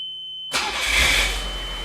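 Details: Nissan Figaro, first start after engine mount, timing belt and surrounding jobs replaced: quick crank, catches within a second, eases to an even steady idle; healthy start.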